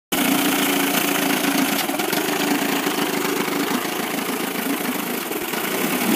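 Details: 1998 Evinrude 25 outboard misses at low rpm, lower cylinder only; uneven stumbling idle skipping beats; good spark both cylinders, charge coil 330 V, power pack 170 V, trigger 10 V, carb cleaned, coils and plug wires swapped, cause not found.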